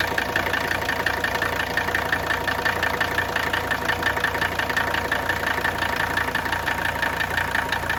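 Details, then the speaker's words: Mercedes 300TD wagon diesel at idle: steady knock about three a second, deeper than normal injector clatter, not normal diesel noise. "Can you hear the knock I'm talking about here? It's a little bit deeper knock than you normally hear just with fuel injector noise. That is not a normal diesel clatter."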